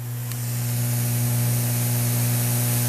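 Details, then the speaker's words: Turntable through a ground loop isolator, receiver volume turned all the way up: low steady mains hum from the speakers, no crackle or buzz on top. Normal small residual hum, inaudible at normal volume. "know as you can hear a little bit up in the speakers but that's normal and that's that's cranked all the way"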